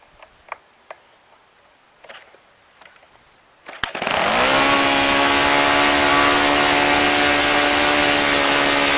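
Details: OS FS-95V four-stroke model engine after rebuild with replaced bearings, on 15% Morgan Omega fuel, 14x6 prop, OS F plug. A warm hand start: a few flicks, then it catches at once into a steady, even high buzz; normal warm start and run.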